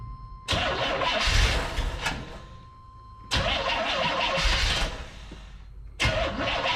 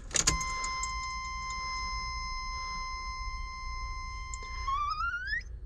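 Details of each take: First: Carbureted Corvette on jump pack, fuel pressure about 5-6 psi at carburetor; three bursts of steady cranking a few seconds each, never catching; crank no start, owner suspects carburetor fueling issue, considering having carburetor looked at or a new carburetor. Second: Fuel pump priming with key on, check engine light lit, engine not starting: steady high-pitched whine for several seconds, climbing at the end, as fuel pressure gauge rises to about six and a connection leaks slightly.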